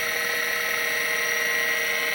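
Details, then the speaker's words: Vintage Seagate ST-251 5.25" MFM hard drive after a control board swap, on an XT clone: steady high-pitched whine, even and unbroken, no scraping or clicking; drive spins up, initializes and boots normally. "all right good sign we're spinning up and the computer's booting on the screen here"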